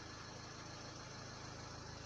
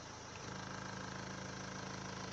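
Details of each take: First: Renault Laguna 3 Coupé 2.0 dCi 180 diesel at idle after fitting foam pads into the upper dashboard: even, steady idle with soft low pulse, no buzz or rattle; dashboard vibration gone. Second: Renault Laguna 3 Coupé 2.0 dCi 180 diesel at idle; a fine steady buzzing rattle from loose dashboard trim comes back when the pressed dash is released, dashboard vibration rattle at idle, cured by wedging foam on each side of the dash.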